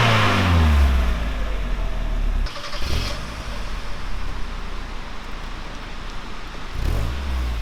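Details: Mk1 Mazda MX-5 Miata four-cylinder on its old original standard exhaust, before custom catback: fires up, revs cleanly and drops back to an even burble, no knocks; pretty standard sounding, healthy.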